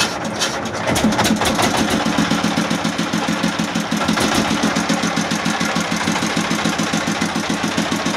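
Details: S1125 single-cylinder diesel, which could not be throttled up, test-run after the pump was reassembled and bolted so it now throttles: steady, quick, even thumping at a settled speed, no knocks or misses; runs normally.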